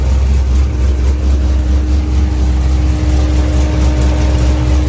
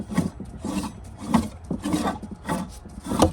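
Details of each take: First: Corvette Z06 V8 with big throttle body and nitrous plate, after water pump replacement and new radiator cap; steady even idle, smooth low rumble with faint constant belt tone, no knocks, squeals or misses, no coolant leaks. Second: Corvette Z06 removed water pump, bent and locked up, leaking from the bottom; gritty rasping grind in bursts about once a second as the shaft is turned by hand, worn bearing, pump being replaced.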